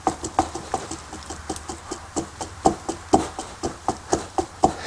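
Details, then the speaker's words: SAAB 900 axle CV joint, boot removed and grease wiped, rocked by hand: uneven dry clacks about twice a second from loose play and extension; owner felt vibration accelerating hard out of turns; worn CV joint, replaced with new axle. "now my joint is loose I noticed that I can wobble it and it has a little extension"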